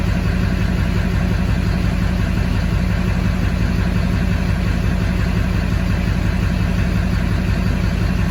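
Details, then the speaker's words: 2004.5 Duramax 6.6 LLY diesel with misfire and P1241 (PCM-to-FICM supply command), regulator mA showing sawtooth then flatline: deep idle with steady chop near two pulses a second; rough idle, regulator or other cause unconfirmed. "So you can hear it chopping in the background there. So the question is it the regulator or are we dealing with another issue?"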